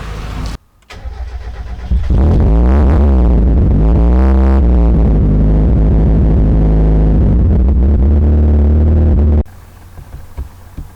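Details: Mazda MX5 Miata first start on a newly installed ME221 ECU after the fuel pump prime check: brief cranking, then the engine catches and runs strongly with rising and falling revs, no stumbling; normal start.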